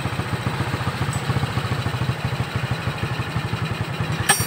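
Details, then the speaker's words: Shogun 125 motorcycle after repair of a rattling, rod-knock-like engine noise, fixed without replacing the connecting rod: steady, even low idle thump with no clatter or knocking, even at low speed. "Sekarang suasananya tenang, kan, bahkan pada kecepatan rendah. Sekarang sudah tidak terdengar suara ketukan lagi."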